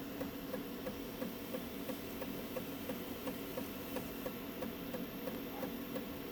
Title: Prusa mini clicking noise